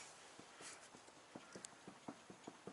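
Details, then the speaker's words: Ford BA Falcon ute/wagon solid rear axle, jacked driver's-side rear wheel rocked by hand, handbrake off: sharp irregular knocks from slight play that should be zero; worn rear axle wheel bearing. "You can hear that knock. So that's not a lot of play, but it should be zero play."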